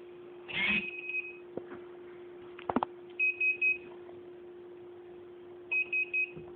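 Short high beeps in groups of three every couple of seconds over a faint steady hum; the transmitter is alarming, cause unknown.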